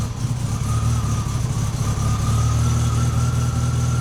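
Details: Mini engine on a warranty job for excessive oil pressure, after oil pump plate work, distributor not yet set optimally: steady fast idle with an even beat and no knocking or rattling; normal running.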